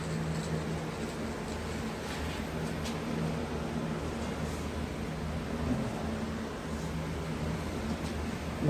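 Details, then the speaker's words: Powder coating gun spraying matte black on back of aluminum rim: steady low buzz under airy hiss, framing visible at edges from over-coating; powder coating gun buzzing from back-ionization. "now we're going to do the back because of framing you can hear the buzzing"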